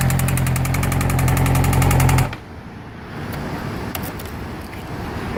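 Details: 2012 Yamaha R6 engine running with fast, hard knocking for about two seconds before falling near silent; owner suspects a spun bearing or connecting rod knock.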